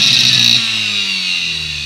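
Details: Mixer grinder motor running at steady speed before repair: loud, harsh high-pitched roar with a rough, buzzy edge; the worn motor bush needs replacing.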